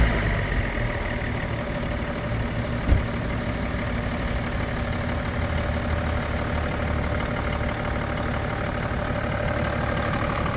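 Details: 2010 BMW 335d diesel, tuned with emissions devices removed, recorded at the engine on a cold start. Steady, even diesel clatter at a settled cold idle with no knocks or misses; sounds healthy.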